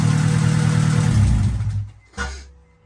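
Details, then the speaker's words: Acura Integra GSR B18C1 all-motor on Hondata S300 idling with a low sagging rumble and one short sharp backfire pop; ignition timing is wrong and must be set to 16 degrees at the distributor. "yeah did you hear it back fire a little bit yeah yeah so this needs to be at 16 degrees ignition right here before we can set this"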